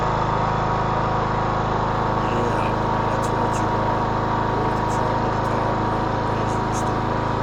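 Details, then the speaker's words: 2014 Troy-Bilt Bronco 13WX78KS011 mower, Kohler 17 HP. No-start after tune-up, fuel shut-off solenoid malfunctioned, fixed by a new HiPA carburetor. Steady, even drone with no misses, surging or knocks after the repair: runs smoothly and healthy. "Sounds good. What we want. Love it."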